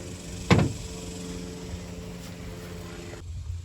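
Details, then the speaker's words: Removed alternator from 2011 Chevrolet Suburban: after a light knock, faint even hum with no grinding or rumble; bearings fine, owner suspects the voltage regulator. "I tell y'all, this whole thing sounds good. Nice and quiet, nice and smooth. I think the bearings are fine."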